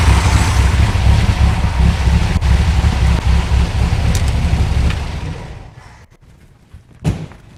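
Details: 1964 VW Beetle air-cooled flat-four, run still warm after the ignition coil was replaced, chuffs with an even low beat for several seconds then winds down cleanly; it sounds healthy.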